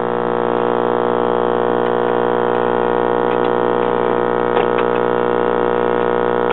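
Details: 1969 GE solid-state AM/FM stereo table radio with dried-out cardboard-tube filter capacitor, before repair: loud constant low mains hum drones through speaker at one pitch, no program audible; also needed FM oscillator work, switch cleaning and damaged tone control repaired.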